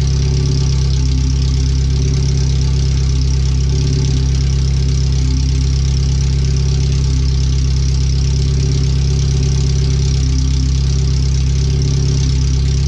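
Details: First startup after replacing the header, fuel filter and differential bushings and seals, with O2 sensors moved and no exhaust fitted past the header; the computer read 5-7% rich. A very loud, deep, even idle with a raw unmuffled bark; open header, far too loud.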